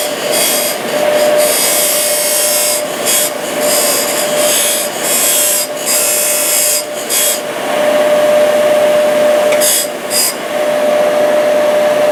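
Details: Used 1998 Workforce 8-inch bench grinder, 120 V 5 A, with wire brush and stone wheels: steady mid-pitched motor hum with bursts of grinding contact; spins up and runs smoothly, normal running.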